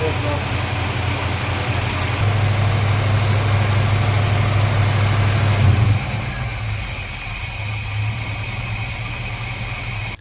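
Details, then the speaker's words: 1953 Chevy truck after a timing adjustment, with air filter refitted: smooth low hum at a steady beat that settles to a calmer idle after a few seconds. Runs clean and much better, fast idle stuck on because the choke is unhooked. "yes sir I already tail is running much much much better put my air filter back over much much better"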